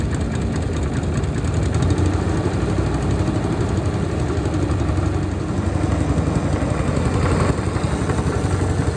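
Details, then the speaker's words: Honda GX160 engine on Logic MSC120 sweeper after service and drive chain noise fix with new spring: steady even low chug, no clacking or knocking; running normally. "That's running much better now."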